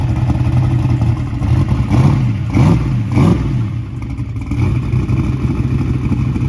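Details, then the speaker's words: Small-block Chevy race engine, a year of hard use, after changing all spark plugs: lumpy, uneven idle with throttle blips and clatter underneath, sounding like a dead cylinder; cause unconfirmed. "all right guys so uh this thing still making a little noise it's running rough sound like I had a dead hole"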